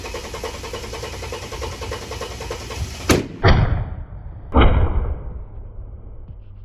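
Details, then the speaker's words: Ford AU Falcon at its first start in years, with new plug wires and the idle screw adjusted. It cranks roughly and fires unevenly, gives two or three sharp intake backfires, then idles on its own and sounds fine. "small [Music] backfire and then that FKS is done but there we have it it's idling on its own doesn't sound bad at all"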